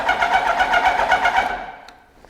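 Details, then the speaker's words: Cold Kawasaki Ninja motorcycle in neutral, dead cold, fuel uncertain: rhythmic starter whirr, about five even pulses a second, that never catches; cranks but won't start. "Do we have fuel? Maybe, I don't know. I'll try that."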